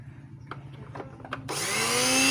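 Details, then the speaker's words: Wongdec turbo-power blender that would not spin (seized blade shaft), motor tested alone with safety switch held down: after clicks it spins up fast to a high, clean whine, no grinding or rattle; motor is fine. "มีมอเตอร์ใช้ได้นะครับหมุนแรงมากเลยนะครับผมสุดยอดเลยนะครับพลังเทอร์โบนะครับแรงมากนะครับ"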